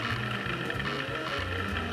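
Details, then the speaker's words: Old Seagate ST-3144a 130 MB IDE hard drive during format after repartitioning: quick uneven bursts of clicking chatter in a Morse-like rhythm over the hum, repeated head seeking; cause unknown. "all right new Partition new lease on life let's try formatting what the is this thing sending Morse code"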